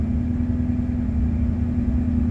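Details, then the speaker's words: 1988 Ford F150 with the 5.0 V8 and manual transmission, no throttle applied: steady, even drone well above normal idle with no dip or hunt; idle stuck high and climbing while it smells rich. Cause unknown. "and I start smelling rich so slowly starting to climb what I don't know"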